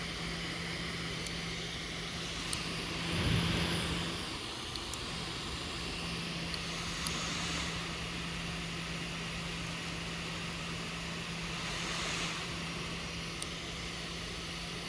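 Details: Brand-new Lenovo ThinkPad P1 Gen 3: fan, usually under left side of keyboard, ramps up and down every one to three seconds with scattered clicking over a low hum; clicking suspected from heat pipe and vent expansion.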